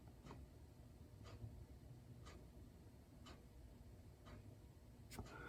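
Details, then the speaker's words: Mercedes R129 (1990–2002) steering: sharp clunks about once a second as the steering is turned; a joint seen moving too far, likely a broken ball joint on the other side, suspected not confirmed. "I could hear that noise that CR that you know that clunking noise just when this thing was was doing that so I think that's the uh that's the deal that's the thing"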